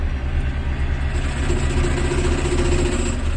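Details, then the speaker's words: Military tractor driving, under 1500 rpm; heavy uneven thumping racket over the running engine, first mistaken for a thrown rod, caused by a failed driveshaft hanger bearing letting the flange spin on the driveshaft. "That's the hanger bearing for the drive shaft has decided to delete or leave the chat, as we say, and it makes a racket because the flange is just spinning around on the drive shaft,"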